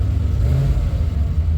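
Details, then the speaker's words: L98 C4 Corvette after IAC valve replacement, throttle body reinstalled: a deep, steady rumble at about 900 rpm with no hunting; normal idle, though the owner suspects a remaining air leak. "idling down. It's idling nicely. It's idling at about uh 900 RPMs."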